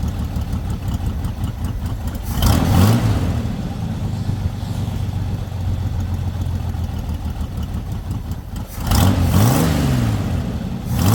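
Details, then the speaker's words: Lowrider V8 after the dipstick oil leak repair, now no longer leaking from the dipstick: two blips to a quick rising roar, then it drops back into a steady, even idle without hunting. It reaches idle faster than before. Normal idle. "as you can see it doesn't actually take as long to uh idle as it used to"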